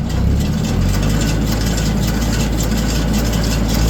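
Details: Tractor and baler running after the broken baler belt was relaced and pinned. Steady low diesel drone with an even beat and no knocks or slipping; running normally.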